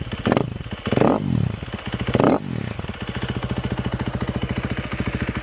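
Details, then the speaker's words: 2013 KTM 350 EXC-F with SXF muffler, fresh oil and filter, on temporary electric start: sharp throttle blips then crisp, even single-cylinder idle with no knocks; healthy, though timing chain is probably getting due. "Starts up. In my opinion, sounds pretty good. Doesn't have any odd knocks or anything. It's got the SXF muffler on there, so it sounds pretty good with that."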